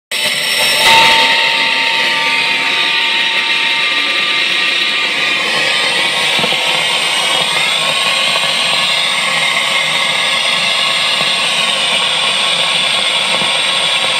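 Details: Fender Hot Rod DeVille 212 tube amp: loud steady fizzing crackle with no playing, starting after a couple of minutes of use; caused by worn tubes, fixed by replacing three tubes.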